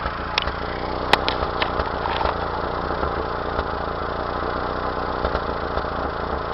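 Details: 1992 Mazda B2600 at idle: uneven rumble with irregular stumbles and odd pops breaking the rhythm; misfire of unknown cause.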